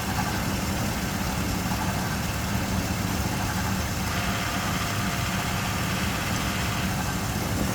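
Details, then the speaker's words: 2001 Chevy Suburban at idle after DIY AC compressor replacement, during refrigerant charging: the compressor clutch clicks in with an added hum for only about 3 seconds, then drops out. Short cycling from low refrigerant charge. "it's going to happen again in a second there it is and it stays engaged only for about 3 seconds and it stays off for about"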